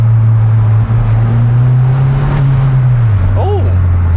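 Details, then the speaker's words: Copart-salvage Mini repaired, accelerating off the lights, dump valve off: deep, steady exhaust drone settling lower as revs ease, no rattles or blows; healthy, surprisingly muted exhaust. ">> It's quite muted still, actually. I I thought this exhaust would be really loud."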